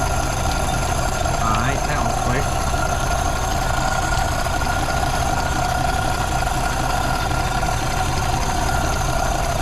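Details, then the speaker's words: 1932 Ford Model B 5-window coupe, after exhaust/intake manifold gasket replacement (cracked exhaust manifold), bolts retorqued to about 30 ft-lb: smooth, steady idle, even beat, no hiss, stumble or hunting; no vacuum leaks, running pretty good. "right all right well it sounds like it doesn't have any vacuum leaks it's running pretty good"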